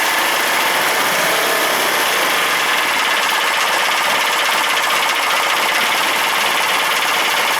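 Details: Briggs and Stratton opposed twin-cylinder small engine, carburetor just refitted, running on its own: fast, even idle with a steady popping exhaust beat and no distinct knock standing out.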